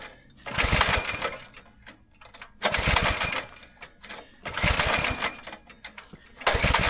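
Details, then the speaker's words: Go-kart small engine, first running after about 3 years parked: loud surging bursts about every two seconds, sagging between; rough running and surging, bad gas still trapped in a pocket of the tank suspected. "So we got it to fire up. It smells awful and it runs awful. There's still some bad gas somewhere in the tank, like in a little pocket that I couldn't get out."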